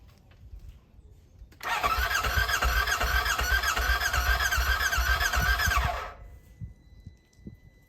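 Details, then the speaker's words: Burnt RZR rebuilt with new wiring harness, fuel line, fuel rail and sensors: starter whirs with a regular chug about four per second for four seconds but never fires; suspected broken battery connector or nearly dead battery. "already guys as you saw there it wanted to start up but it didn't unfortunately"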